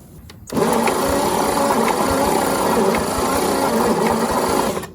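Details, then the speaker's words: 1950 Chevy 3100 truck six-cylinder, long-sitting, points cleaned, jumper wire fitted: starter turns the engine steadily for about four seconds with no firing; cranks but won't start, coil suspected. "Nothing. All right. We'll have to check the coil. We might do the points a little better."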